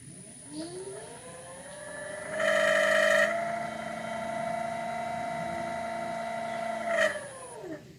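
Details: Haswing Protruar 1.0 brushless 12V 65lb-thrust trolling motor, modified for a wired remote, run forward from zero: clean electric whine rises and holds a steady pitch, then winds down smoothly; runs normally with no roughness.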